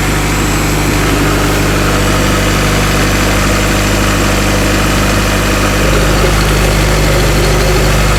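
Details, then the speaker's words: Acura/Honda Integra (DA), idling just after a hidden fuel pump switch under the rear seat was turned on: loud, steady idle with a smooth low drone, no misses or knocks; engine healthy. "She sounds really good. Listen to that. Woo! Man, it actually sounds good."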